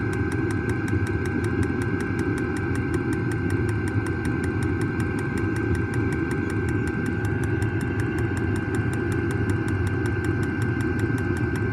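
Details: New diesel heater just installed in a Jayco Freedom caravan, heard from outside near the exhaust after start-up: steady low combustion roar with fast, even fuel-pump ticks, no surging or misfire; normal diesel heater running.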